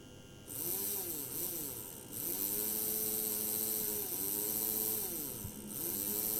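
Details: PIKO BR62 model locomotive motor-gearbox run on transformer at slow (about 3–4 V) then medium speed: buzzy whirring gear whine changing pitch with speed, transformer hum underneath; loud motor and gearbox noise, suspected lack of lubrication.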